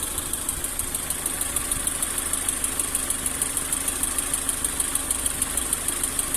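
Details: Lada Granta 11182 engine at 13,900 km, warm idle with a light, regular ticking around three per second that comes and goes. Strongest by stethoscope at cylinder 2 and slightly at cylinder 4 near the plugs; disabling plugs changes nothing, cause unknown.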